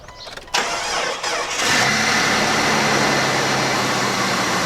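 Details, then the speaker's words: 2000 Jeep Cherokee, oil changed after a Sea Foam treatment, cold start: the starter spins briefly and the engine catches within a second, settling to a steady, even idle with good oil pressure; cold lifter noise usually fades after a minute or so. "all right so sing it up sounds pretty good I got good oil pressure"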